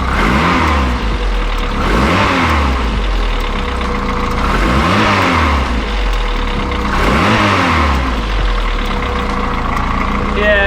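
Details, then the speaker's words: Classic Mini with a used VTEC turbo four-cylinder, cold, revving and settling: a dull irregular knock or rattle seemingly from the untouched bottom end, usually worse when warmer, neither worsening nor improving; cause suspected, not confirmed. "so it sounds like there's a rattle or a knock or something loose in the bottom end uh it doesn't get worse but then again it hasn't got better"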